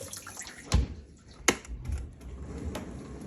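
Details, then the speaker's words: 13-year-old Miele dishwasher after replacing inlet valve (p/n 154373301) and elbow to cure inlet-water alarm: soft running-water hiss into tub with a few clicks and knocks; water turns on and fills normally after repair. "The water turn on. You can hear it."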